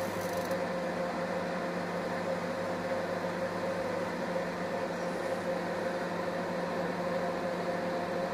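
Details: Scarlett SC 291 microwave after replacing the transformer power relay and the 47-ohm ceramic resistors with 5 W ones, heating water as a test: a steady transformer hum with fan and turntable drone, no buzzing or arcing. It now heats normally.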